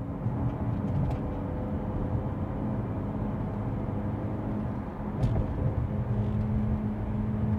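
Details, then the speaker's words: BMW 340 (B58) at cruising speed after fixing a rattling door pin: steady road and engine hum with no clicks or buzzes from the door trim, cabin quiet. "don't hear any rattles i think we're good i was not about to drive eight hours to florida listening to that the whole way not happening"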